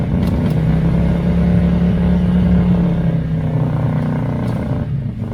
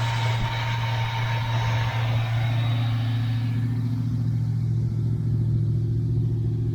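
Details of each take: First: 1982 Chevy El Camino, V8, carburetted, dual pipes, long stored, just started: deep burble that loads up and wavers, stumbling as revs drop; owner suspects the carburetor, possibly timing slightly off. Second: 1982 Chevy El Camino, V8, carburetted, dual pipes: smooth, even idle with steady low drone, no stumbles or knocks; idles perfectly now, though owner says it sometimes dies after running a while, suspects the carburetor.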